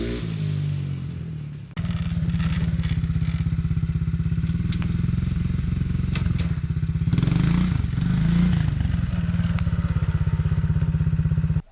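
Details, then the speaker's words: 2017 Tao Tao ATA125D pit wheeler quad, reassembled after repairs: even single-cylinder putter through idle and light blips, clean pickup without stumbling or bogging; normal running. "know, it doesn't run bad. Forward, reverse, there's no bogging. I can light off across the lawn there. Throttle response is smooth."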